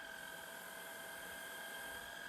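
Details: Shark Rocket stick vacuum after fixing suction problem, on max power; high steady motor whine holding one pitch without flutter or drop-off. Normal suction at max power.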